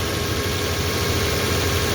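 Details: Toyota 4Runner after coolant leak repair with new part fitted, engine idling while residual coolant smokes off; steady, even low rumble, no knocks or misses; new part not leaking, normal idle.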